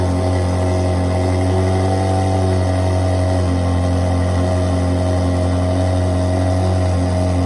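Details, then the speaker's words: Ferrari 360 V8 first start after full engine rebuild, oil pressure pre-built by cranking with fuel pump relays disconnected; strong, even idle with deep steady drone, no knocks or misses, runs clean. "so we are ready for the moment of truth we've started up for the first time since it's been rebuilt"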